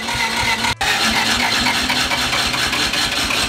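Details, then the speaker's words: Mazda one-rotor rotary car after shifter repair and tuning changes, which stalls at the same point every time: the starter spins the engine in a fast, even whirr with a brief dropout and no firing. Cranks but won't start. "so for some context it is stalled right here every time and then not started every time"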